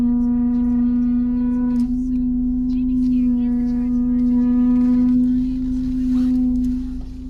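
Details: Land Rover Evoque rear brakes after repair: steady low tonal moan with ringing overtones droning from the rear brakes, fading near the end.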